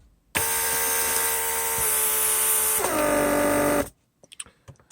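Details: Mercedes W140 central locking pump, repaired, on bench test, remote trunk release circuit; steady even whir about three seconds, drops in pitch as the lock actuates, then clicks — normal pump operation.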